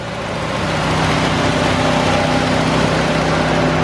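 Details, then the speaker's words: 1972 Ford Gran Torino 400 two-valve V8, first start after sitting 17 years on old yellowish fuel, after a few pumps of gas: a steady, even idle with a smooth low burble and no knocks or misses. Normal idle. "No gas, no nothing. It's running. 17 years. Wow. All right, that sounded really good."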